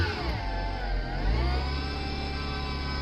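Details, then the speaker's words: 2008-2013 Vauxhall Zafira B 1.8 XER petrol, F17 gearbox, while driving: clear whine rising and falling with road speed over low drive rumble; owner suspects gearbox bearings gone, fix was swapping in a second-hand gearbox. "So the issue is, already taken the battery out, and we've got to remove the gearbox and put another one in, because I think the bearings are gone on the gearbox, because it's got a proper bad whining."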